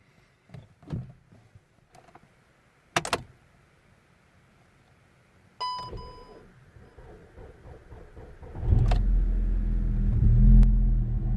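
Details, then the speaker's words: 2010 VW Golf GTI with a suspected parasitic battery drain: a few clicks and one brief turn stopping at the compression stroke while the cluster nearly blanks, a chime, then the next try cranks and catches to idle; cause suspected, not confirmed. "it looks like he gave one revolution until the compression uh until the compression cycle then he stopped there and then everything nearly disappeared from the cluster as you have seen"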